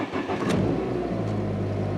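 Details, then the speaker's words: Ford Escort ZX2 on a very cold day after a melted connecting hose was replaced: fires first try, flares under 2,000 rpm instead of the earlier 3,500 rpm, then settles into an even idle; normal cold start. "on startup, pretty good. My RPMs didn't even go past 2,000 that time."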